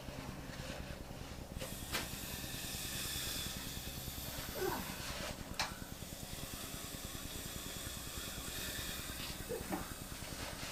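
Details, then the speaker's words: Junkyard LS V8 long block being turned during assembly: rhythmic puffs of hissing, about two a second, as compression escapes from the other bank's cylinders. "I don't know if you guys can hear that hissing but that's the compression from the other Bank getting out"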